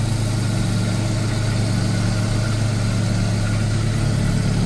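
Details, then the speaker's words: Mazda RX7 FC rotary, idle about 1,100 rpm after coolant change and flooding fix, no crankcase blow-by at oil filler; even steady low idle with no misses, surges or knocks, running smoothly. "it seems to be highly nice and smooth"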